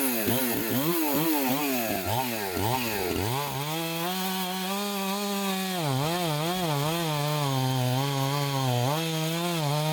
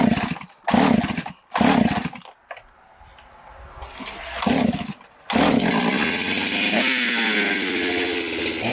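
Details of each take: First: Chainsaw with an apparent mild port job, test cuts after bench repair and retune: strong high revs dip and recover cleanly each time the chain bites, then hold steady; may need fine tuning or a less aggressive chain; normal cutting under load. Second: 372 chainsaw with carburetor jets fully open: short blips then climbs to a high steady scream and hangs; owner suspects an air leak at base gasket or crank seals, spraying brake cleaner to locate it.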